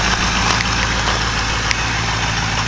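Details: 2004 Ford 6.0 Power Stroke diesel just cold-started without block heater, idling slow around 600-700 rpm before high idle mode engages: steady even low rumble, no knocks or misses; normal cold idle, not good to idle long when cold.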